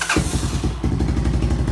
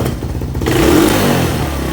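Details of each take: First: 1986 Honda TRX200SX quad after brake work: starter cranks, the single fires right up and settles into a steady, even low thumping idle with no misfire; healthy start. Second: 1986 Honda TRX200SX quad: on a throttle blip the revs hold up and take a couple of seconds to sag back to idle, a hanging idle whose cause is not yet found.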